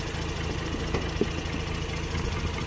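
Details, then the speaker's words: 2006 Mazda RX-8 rotary with hot-start trouble, owner suspects low compression from failing apex seals, new starter fitted: warm idle with an uneven, lumpy beat and the odd stumble; Picoscope coil tests look similar, so any misfire is not ignition-caused. "okay so you can hear the lumpiness that's fine"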